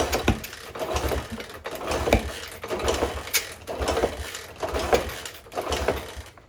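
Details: 1964 Honda CT200 (Trail 90) that sat abandoned in the desert 50+ years: kick-start thrash with clanking roughly once a second, never a single firing stroke, despite apparent compression, visible spark, fuel and starter fluid; kicks over but will not start.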